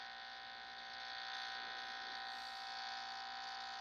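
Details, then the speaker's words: Electrical interference heard through an LM386 hum finder with antenna probe: steady buzzing hum with a high whine, constant level; light suspected. "And there you can hear the noise. So I thought it was the light, and that is putting out quite a bit of noise."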